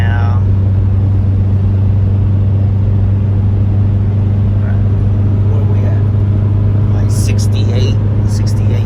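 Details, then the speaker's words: 1999 Honda CR-V B20 after rebuild for overheating and oil leaks, highway about 75 mph at 3,000 rpm: steady deep drone, loud from aftermarket muffler, temperature not climbing, no check engine light; normal cruise. "Temperature is not climbing, so that is a good thing. No check engine light, which is a good thing also. And the car is a little loud, if you guys can hear it when we're coming up, because the car does have a aftermarket muffler installed on it."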